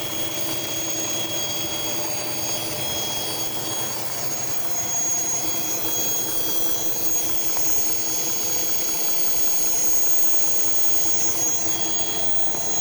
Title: vacuum leak ?